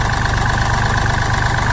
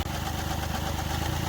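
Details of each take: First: Mahindra Bolero Power Plus diesel with complaints of low pickup, body vibration and missing after engine work, idling after injector nozzle settings were raised two points; steady clatter about 210 a minute, then the sound drops sharply: even, normal idle. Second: Mahindra Bolero Power Plus diesel with low pickup and whole-body vibration, missing since earlier engine work, injectors being bench-checked; lumpy, uneven idle with heavy low shake, one cylinder missing: diesel misfire at idle.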